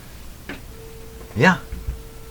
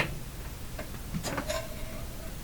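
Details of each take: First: Roughly 100-year-old speaker under test with primary energized: silence and clicks, then a steady tone cuts in and out; suspected bad connection or defective voice coil, not confirmed. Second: Roughly 100-year-old speaker tested, microphone inches away: clean steady whistle near two kilohertz without buzz or rattle, old-radio tone. Normal speaker tone reproduction.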